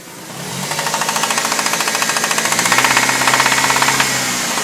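Sharp, evenly spaced knocks about two per second ride over the engine noise throughout, a clear metallic knock from the engine.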